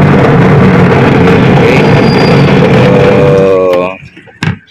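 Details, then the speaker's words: Washing machine running noisy and slow: loud rough hum with a knock about three times a second as the tub turns slowly, fan belt fine and machine reportedly new; worn gearbox found to be the cause. "so itong gearbox na to Ito ito to gearbox na yan na ang problema kaya na diyan nagmumula ang ingay tsaka bagal ng ikot"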